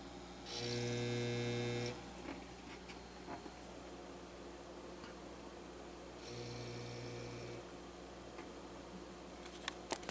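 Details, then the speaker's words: Kustom 4080 PA amplifier into dummy-load resistor with signal generator input: at about one volt output it breaks into oscillation, harsh buzzing bursts over a low drone; fault being debugged. "then it about a volt it just goes nuts and I don't know if you can hear that noise"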